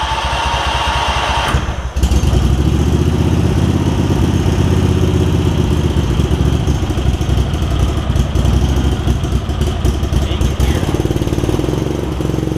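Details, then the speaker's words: Craftsman garden tractor with Kohler CV20 twin, before carburetor clean, just after fitting a new metal ignition switch: starts, then runs with an uneven, wavering beat and dips in speed instead of a steady idle; rough running from a really gummed-up carburetor. "here so you can hear it that the carburetor is really pretty gummed up"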